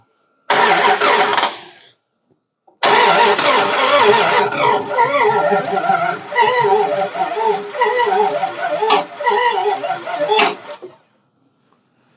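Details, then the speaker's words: 1969 Imperial LeBaron off the road over 30 years, first firing after refueling: catches after false start, runs rough with irregular sharp snaps over uneven idle. Owner suspects a valve sticking open and the piston tapping it; plans to pull valve cover. "I think it's that snapping noise is the p is the valve sticking open and and piston tapping it and going snap"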